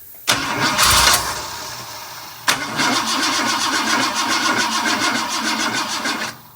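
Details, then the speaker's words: 1958 Ford F100 after fuel line replaced, cranking to get fuel up: two bursts of sluggish labouring cranking just under four turns a second, never firing; low battery slowing starter; slow cranking from low battery. "the battery sounds nice and low hold on let me nurse It"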